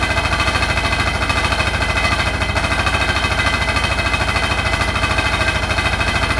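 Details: Hotpoint NSWR843C washing machine on final 1200rpm spin: a fast, hard machine-gun rattle of around three per second over the spin roar; the cause of the loud rattle is unknown.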